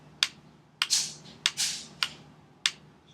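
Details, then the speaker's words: Ruger 10/22 with a 25-round ProMag magazine: crisp light clicks about every 0.6 seconds as the loose magazine shifts in and out of place in the well, causing a failure to feed on every shot. "you can hear the clicking so it's moving out of place so literally every every single shot that I took was a failure to feed"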